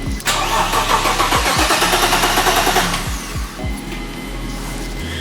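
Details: BMW E30 engine cranking with starter at about three compression beats a second but never catching; crank pulley was fitted without its woodruff key, throwing timing off; crank no start.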